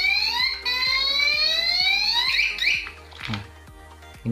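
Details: Car remote alarm wired through its pink and grey stop-engine wires, engine started and then alarm armed: a loud shrill tone sweeps steadily upward over fast regular ticking, then cuts off as the engine is cut off.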